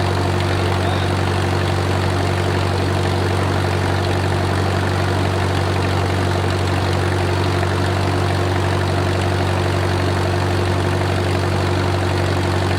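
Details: Wartime H tractor, last run around the 80s or 90s, at full operating temperature: a steady, even low chug of about three firings a second, no knocks or misses and great oil pressure; a normal idle.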